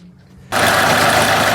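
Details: 2013 Kia Ceed 1.6 CRDi diesel: the engine catches and idles with a harsh metallic grinding rasp over the idle from a worn alternator freewheel clutch (overrunning pulley), which is to be replaced.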